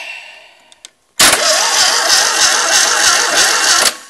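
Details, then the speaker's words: Fiat 126 650cc engine being set up as a generator, starter on bare bell housing, points ignition wired: even starter cranking about 3.5 beats per second for nearly three seconds, never catches; cranks but won't start, no fuel supplied. "we got it cranking. And what we're going to do then is we need fuel, obviously, because that seems to be missing."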